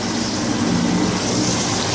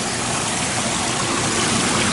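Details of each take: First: 15-year-old Carrier water-cooled units not cooling, old indoor cooling tower completely dry with no water circulation: steady rough gravelly rush over the pump hum with no even flow note; circulation pump cavitating for lack of water. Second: 15-year-old Carrier water-cooled packaged unit after repairs, dry cooling tower issue addressed, burn marks seen on compressor wiring insulation: steady rushing air and water with even hum, no knocks or squeals; unit running normally.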